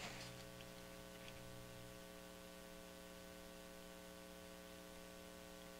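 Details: Brentwood DRF 60 solid-state record player under repair: steady low mains hum with faint buzzy overtones and no program sound when a signal is applied; owner suspects broken or oxidized foil connections; cause unconfirmed.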